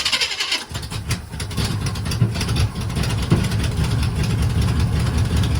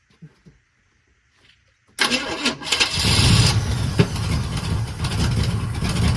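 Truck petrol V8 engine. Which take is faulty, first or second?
first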